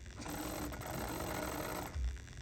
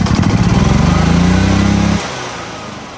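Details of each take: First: 2008-up EZGO gas fuel-injected golf cart that died, key on and pedal pressed: a brief, feeble starter whir and rattle with no crank, as battery voltage drops to 7 V. Below 9 V it won't turn over, so a battery goes in next. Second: Gas EZGO golf cart (2008-up) that had died, engine cranked in neutral with key on after repair to check charging (about 14.5 V expected): steady, even putter for two seconds then clean cutoff; battery charging, runs normally.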